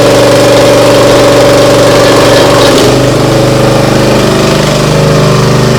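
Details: Briggs & Stratton CR950 208cc engine on a Diamond 25-ton log splitter, after carburetor cleaning for a no-start following a couple of years unused: settles from fast idle to a slightly lower, even putter around three and a half beats a second; healthy.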